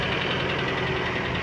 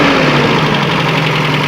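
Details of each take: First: 1992 Toyota Pickup 2.4L 22R-E, 5-speed, crash-damaged, intake boot ripped at the throttle body; steady idle with faint, even knock under the engine note; light typical 22R knock at idle, cause unknown, no smoke or fluid transfers. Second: 1992 Toyota Pickup 2.4L 22R-E, crash-damaged, intake boot ripped at throttle body: even, steady four-cylinder idle, smooth hum, no misfire or hunting, no smoke or fluid transfers, slight typical 22R knock; normal idle.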